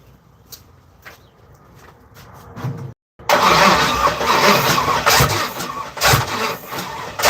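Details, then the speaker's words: Third-gen (82–92) Camaro running on starter fluid: quiet stretch, then loud irregular bursts and pops over cranking, fires sporadically and backfires but never catches. Owner suspects non-working injectors, spark, timing or a bad ground. "Explosions that are coming out of this shit. Let's see if I have any engine codes."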